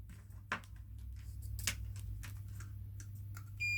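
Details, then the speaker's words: Multimeter continuity test across the thermal fuse of an induction cooker, after the two lines at first showed no continuity: a steady high-pitched beep near the end over a low mains hum, meaning continuity is present and the thermal fuse is good. "දැන් ඒ continuity තියෙනවා."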